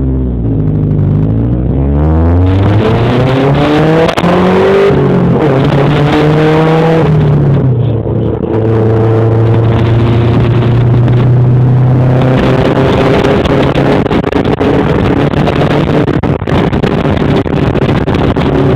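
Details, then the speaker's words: Honda Civic V16A four-cylinder revving with a big exhaust blowout: loud, raspy, burly rumble that swells with each rev from the exhaust leak. "got a wicked fucking exhaust blowout."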